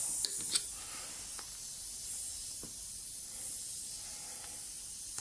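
A steady, even high hiss holds throughout, with a few handling clicks; air is escaping through the puncture in the tire.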